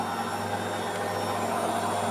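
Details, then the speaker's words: Washing machine on spin cycle making a loud, steady whirring roar with a low hum, caused by a misaligned drive belt; the drum dropping and weakened springs were ruled out. "la lavadora hace mucho ruido en el centrifugado."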